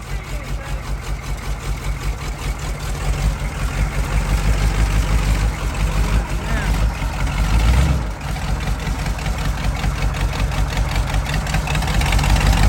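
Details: CUCV squarebody Chevy diesel restarted after the engine blew and holed the oil pan: deep, uneven connecting-rod knocking pounds through a rough idle as the engine runs with a broken rod.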